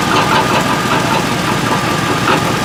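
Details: 2003 Chevrolet Tahoe at idle: uneven knocking over a rough, steady idle. Owner suspects a broken flexplate; an exhaust leak and broken exhaust manifold bolts are also suspected, and the cat was first thought to be the cause. Knock at idle, cause not confirmed.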